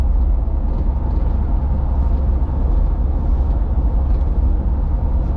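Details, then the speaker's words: Nissan Xterra on road test at 60 mph after rear differential replaced with a junkyard unit: steady low road rumble with no whine, howl or clunk; old differential was shot, new one healthy. "So doing 60, no noise. Oh yeah, it's so much quieter, so much better. That other one was definitely shot."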